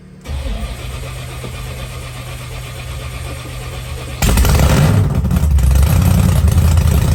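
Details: Blown 1957 Chevy Gasser after an oil change, with oil pressure built by cranking first. Several seconds of starter churn, then it catches into a loud, deep, lumpy, steady idle; a normal start.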